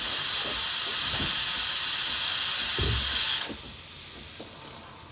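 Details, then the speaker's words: Breville Barista Express BES870 steam wand, used machine: loud, even high hiss of steam, easing off near the end; normal steam output with nothing sputtering. "Turn on the steamer. It usually takes about 15 seconds to start steaming."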